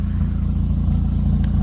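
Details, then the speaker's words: Honda Prelude after a new distributor cap and rotor fixed a misfire; steady low idle, even firing beat, no dropped beats, faint tinny rattle from loose heat shields underneath; misfire gone, normal idle. "sounds a lot better my only real issue is my eat shields are rattling down there otherwise seems like the miss is gone"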